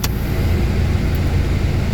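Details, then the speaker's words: Proton Waja MMC, AC switched back on after the idle stepper motor relearned: idle quickly compensates for the AC load, holding deep and even with no hunting; stepper motor not at fault. "Okey kalau macam tu sekarang kita on balik you akan nampak dia sangat cepat untuk cash up compensate dia aircond punya loading satu. Ha tengok berapa cepat dia. Dia dah learning balik dia akan cepat buka untuk tangkap."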